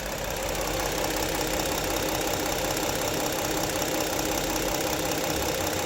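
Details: 2016 Ford Explorer Police Interceptor AWD, 3.7 V6, 111,079 miles, at idle: steady, even hum with a soft background patter and no knock or misfire; normal idle.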